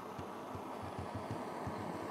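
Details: Primus pressurised kerosene (paraffin) stove just lit: steady, even hiss-roar with faint soft low thumps; burner burning cleanly, normal.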